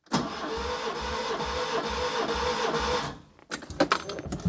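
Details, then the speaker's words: Barn-find Škoda 105 on 20-year-old oil, suspected of running on three cylinders, cranked for a compression test. Even, steady compression pulses: all cylinders read 162–170 psi, so compression is good. "and that is bang on on 107 psi so the compression test is done"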